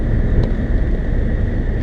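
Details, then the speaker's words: 2002 Saab 9-3, while driving after replacing the leaking two-piece center exhaust section and all brackets: a steady, even low rumble with no rattles, puffing or blowing, no longer jalopy-like; the exhaust sounds sealed and healthy. "I feel like it doesn't sound like we're driving a jalopy anymore or a bus it sounds like we're driving a nice Saab"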